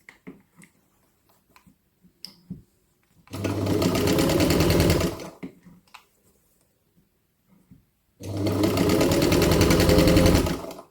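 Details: Jones Model C sewing machine, quiet enough to talk over: quick even stitching patter at nearly four beats a second in two runs, with no knocks or grinding audible.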